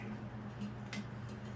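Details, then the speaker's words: 52" Palm Air top-mount spinner ceiling fan, antique brass, stamped motor, running at 0.47 A: faint regular ticking in time with rotation over a low motor hum; bearings judged fine, ticking thought to be the loose globe. "Oh, maybe it's the globe. Yeah. Yeah, it sounds like the globe."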